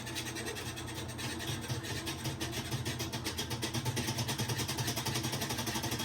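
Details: Kenmore washer making a loud noise: engine-like rumble with a fast, rhythmic scraping pulse. Cause is a worn clutch, fixed by removing the motor and transmission and replacing the clutch.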